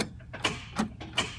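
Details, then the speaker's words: 1976 Datsun 280Z: with power restored by alligator clips at the fusible link, key turned gives three or four sharp single clicks half a second apart, starter solenoid clicking but starter not turning, no cranking. "nothing you can hear the starter solenoid trying to click over but the starter is not running so time to go take a look at the starter"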